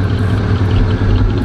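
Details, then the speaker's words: Oldsmobile Cutlass Salon G-body V8 cold start after passing inspection: fires straight up into a deep, steady low rumble with slight lope, possibly a cam, no knocks or ticks; healthy idle, exhaust no longer smoking. "I'm give yall a cold start before I get out of here fire straight up and that idle's good like I said it sound like it got a cam in it"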